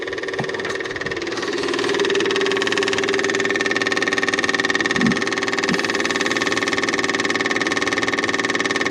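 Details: Cat 259D skid steer diesel after its 1500-hour service with a new fuel pump and filter: steady, even idle with a smooth quick pulse and a light whine on top, no misses or knocks; healthy.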